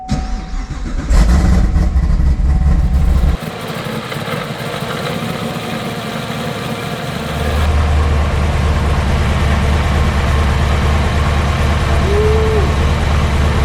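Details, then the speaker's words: Whipple-supercharged ZL1 Camaro V8, first fire-up after the build: the starter cranks, the engine catches and settles into a deep, steady, even idle with no knocks or misses; normal start and idle. "So Alex is gonna jump in, fire it up, and we're gonna hear it."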